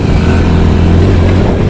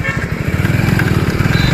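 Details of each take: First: Hero Splendor motorcycle, second gear under heavier throttle: engine hums low and steady with an uneven rattling "kat-kat" pulse and jerking as the gear slips out; fine at 20 km/h, first, third and fourth gears OK, gearbox fault. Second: Hero Splendor Plus at 74,224 km, after repairing second gear, which misbehaved under hard acceleration. The small single revs strongly in first gear and pulls cleanly, with no crunching or jumping out of gear; normal gearbox operation.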